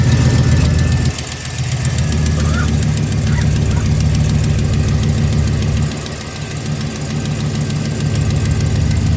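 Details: 2007–13 Chevy Silverado started after an oil cooler gasket replacement, checking for leaks: a steady, low, even idle with small level shifts and no knocking or ticking; it runs healthy.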